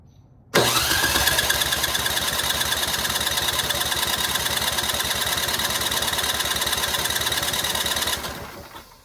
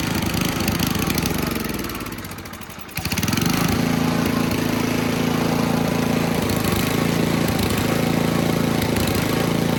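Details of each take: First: Simplicity snowblower engine with loose cylinder head, cranked on electric starter during compression test: even fast whir with regular pulses for about seven seconds; gauge reads over 120. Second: Simplicity snowblower after a loose cylinder head repair, carb clean, new oil and spark plug: engine sags almost to stalling, then recovers to a steady chug about four beats a second, running only on full choke.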